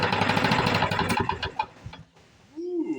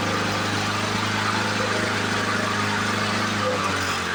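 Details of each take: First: 1977 Ryan commercial bricktop mower (Lawn-Boy), first start after decades in storage, primed: fires and chugs unevenly for under two seconds and won't gain RPM; owner suspects fuel system. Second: 1977 Ryan commercial bricktop mower, two-stroke, run after decades in storage: rough, loud start settles into an even, rapid two-stroke beat that keeps running steadily; old mower starts and runs normally.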